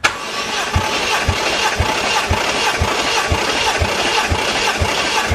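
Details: 1JZ VVTi (JZX110 single-turbo, drive-by-wire) engine cranking on starter during compression test, fuel/ignition disabled; even pace about two beats per second, equally strong strokes, 180 psi across all six cylinders, healthy compression after engine verified running.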